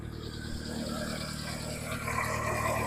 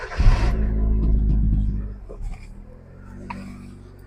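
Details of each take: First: Jump-started car (described as a hybrid) after belt tensioning, running with the alternator said to be working: even, steady idle with a smooth low thrum and no knocks or misses; normal idle. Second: Hyundai Accent with a brand-new alternator and all connections checked: the engine runs briefly, dies after about two seconds, a sharp click follows, then it fires again. It stalls once the battery is disconnected, and the cause is unidentified.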